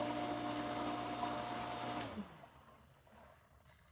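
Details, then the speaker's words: Pool sand filter pump at first start of pool opening. Dry steady motor whir with no water rushing, then shut off; no water coming through, pump lost prime with air in system, needs more water added. "As you can see, no water is coming through there anymore. I will have to redo that by adding more water."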